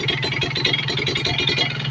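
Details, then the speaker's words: Kawasaki Ninja RR two-stroke after carburettor and reed membrane service: throttle held at high rpm while the air screw is turned to find peak revs; buzzy, crisp, even beat, no misses. "ini RPM kita tinggiin dulu Mas atau gasnya kita tahan di RPM tinggi ya lalu ini settingan anginnya kita putar-putar dan kita cari RPM yang paling tinggi ya"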